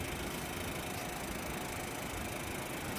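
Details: Window-frame air conditioner after disassembly and mold cleaning: steady, even rush of air over a smooth hum, no rattles or knocks, airflow noticeably lighter; running normally.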